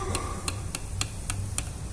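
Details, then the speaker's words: Renault Kwid shock absorber removed: six sharp dry clicks, about three a second, from free play at end of stroke, shock bushing blown, causing knock over cobblestones; shock absorber end-of-travel knock from worn bushing. "Esse barulho é provocado com a folga no final de curso do amortecedor, quer dizer, a bucha do amortecedor está estourada."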